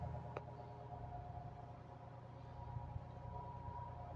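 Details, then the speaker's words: Air Wizard Pro 20" floor fan on its low "Breeze" setting: a steady, thin motor whine at one pitch over soft airflow hum that persists the whole time. The owner blames a motor undersized for the 20" blade. "hopefully you can hear the the motor here it's whining can you hear"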